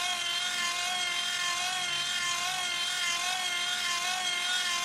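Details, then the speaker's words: 30W hand crank generator charging a 12.89 V battery from regulated 24 V output: steady fairly high whine wavering with each handle turn, no roughness; voltage climbs quickly, charging smoothly. "so you can see that climbs very quickly when you want to charge up one of these batteries"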